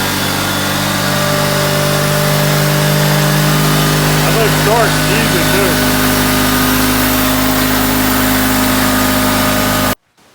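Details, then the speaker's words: Old Honda HT3813 riding lawn mower, engine just refitted after restoration with points, coil and plugs back in, coolant not yet topped up: steady, even, very quiet idle for about ten seconds, no knocks or misses, clean shutoff; healthy. "so it seems to run pretty well i'll start it up for just a second because i have not tapped capped off the coin in it so we'll just hit it real fast very quiet"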